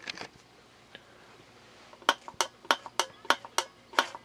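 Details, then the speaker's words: Whirlpool direct-drive washer (possibly 2009) fitted with a Kenmore water level pressure switch, tricked by blowing into its air tube: sharp, crisp clicks about three a second as the switch closes, signalling full and starting agitation. "that so so that clicking is basically means that when it clicks when it reaches a certain amount of pressure it closes which means that the switch is more or less satisfied and Qila agitation begin"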